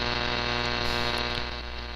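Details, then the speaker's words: Alpha Delta DX-Ultra antenna, tuned to about 85: steady buzzing hum with evenly spaced tones over weak signals; radio frequency interference noise swamping the receiver, cause suspected, not confirmed. "so let's try this now you can hear it right there you see there's some signals there but it's enter"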